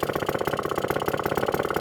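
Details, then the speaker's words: Fully restored 1954 Atco kick-start mower with a Villiers Midget two-stroke that has had a carburettor clean and starts first kick every time, running normally: crisp, even popping at roughly twenty beats a second with steady pitch and no misses. "you can tell it's been fully restored because it just starts on the button every time"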